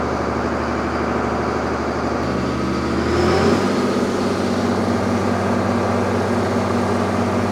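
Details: Freshly overhauled Allis Chalmers 210 tractor diesel on break-in at wide open throttle in an easier gear, 900° pyrometer, 163 coolant, 39 psi oil, about 7 psi boost: pulling hard with deep steady firing, no knocks or misses; healthy.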